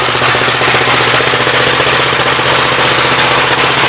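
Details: 1959 Gravely LI single-cylinder engine with 20-over piston, water had been in the oil; throttle bumped up, quick crisp pops at steady even rate, no stumbling, good oil pressure, running well.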